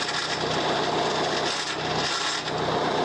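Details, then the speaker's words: Mahindra 415 DI Bhoomiputra tractor: harsh, steady grinding as a gear is forced; clutch does not disengage even when pressed, so gears clash, won't engage or go to neutral, and the tractor won't stop. "यह gear काम नहीं कर रहा है। देखिए, clutch दबाने के बाद भी गियर नहीं लग रहा है।"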